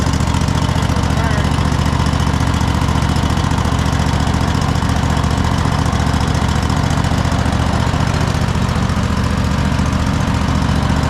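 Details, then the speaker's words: Cub Cadet GT1554 mower twin engine, sat 10 years after rollover, first run: even steady low thrum, clean healthy idle, blue smoke from residual oil burning off. "It seems to be running pretty solid, but what I would do is just let it let it run."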